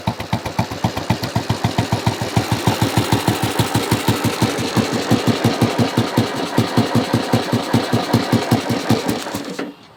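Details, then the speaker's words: Royal Enfield Bullet 500, about 7,600–7,700 miles, slightly warm: loud, slow single-cylinder thumping with uneven beats and occasional pops, then cuts off. Aftermarket exhaust and carburetor are due to go back to original; it runs rough and doesn't accelerate smoothly. "the reason for that is this thing is insanely loud and you kind of feel bad for uh riding it because it's it's actually that loud plus it doesn't run quite right"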